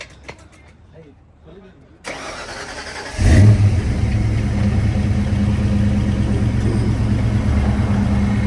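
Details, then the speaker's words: Foxbody Mustang project car after adding water and fixing the fuel problem: brief crank, then the engine catches cleanly and settles into a steady, even idle with no misses or knocks; normal start and idle. "starts up now it sounds good we added water and finally fixed the fuel problem mhm"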